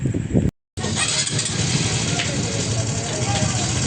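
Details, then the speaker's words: Honda XRM 125 Fi motorcycle idling with a fast, light metallic clatter from the side of the engine over the firing beat, the customer's noise complaint; worn timing chain and roller guide suspected, to be replaced. "Ayan, oo nga, meron tunog na makalansing dito sa bandang gilid."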